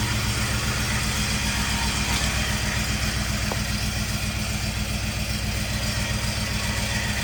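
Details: 1951 Chevy with LS swap, first start-up: idle lopes unevenly with about half the cylinders missing; running on only four cylinders because one bank's injectors aren't firing.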